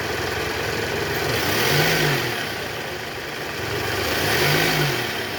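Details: Toyota Alphard ANH10 engine with a growling noise blamed on a weak tensioner: smooth, even note rising and falling with two throttle blips, no rumble, whine or chatter; this clip sounds healthy.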